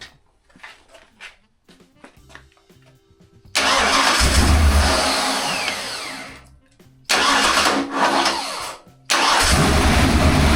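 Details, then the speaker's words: Fresh 347 stroker small-block Ford on a home-made run stand, first-ever start before it goes into a vintage Mustang: Summit 600 cfm vacuum-secondary carb, air-gap intake, ready-to-run distributor. The V8 catches and runs in loud, even, sewing-machine-smooth bursts. Healthy first fire-up, with small oil and coolant leaks found afterwards. "I think that is good enough. >> I think so. for tonight. >> It is >> before I annoy the neighbors. >> Very very um sewing machine smooth engine."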